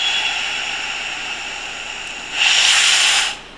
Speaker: so I'm going to go ahead and Purge the rest of the air that's in the system and you will notice that the lights will start going down this is exactly what the firefighter will see when they start to run out of air